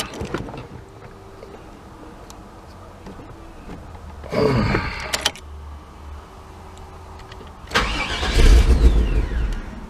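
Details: 1998 GMC OBS truck with a recurring intermittent starting problem. The starter cranks and the engine catches for a second or two, then dies each time. Wiggling the wiring usually lets it start.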